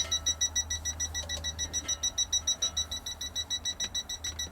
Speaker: oh you can he we're beeping already so you can barely hear that it's the smallest leak that I could emulate